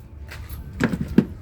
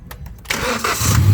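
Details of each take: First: 2018 Hyundai Accent gasoline engine, cranks but won't start: steady cranking (battery 12.5 V, fuses OK) that never catches; no fuel is reaching the common rail. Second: 2018 Hyundai Accent gasoline engine, previously cranking but not starting; fuses, coil and scan checked OK, charging 14.3 V: a few faint cranking ticks, catches within half a second and settles into a strong, even run; fuel reaching rail and injectors.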